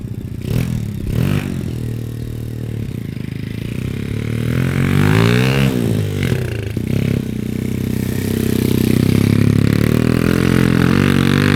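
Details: SSR110 (sold as a 125, possibly 107cc) pit bike single revving up and down with a loose, fast metallic clatter over the exhaust; exhaust valve clearance at least 1/8 inch out; only idled with zero power, head discoloured; running a little rich.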